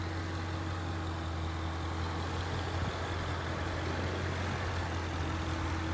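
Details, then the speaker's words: 2011 Ford Mustang GT 5.0 Coyote with Roush exhaust, warm after a 15-minute ten-mile drive, idling outside after replacing all rod bearings and rod bolts: smooth steady burble, earlier tick and light knock gone; normal idle. "so I took it on about a 15-minute ten-mile long loop around my neighborhood varying rpms and then I parked it out front and captured this video of it idly"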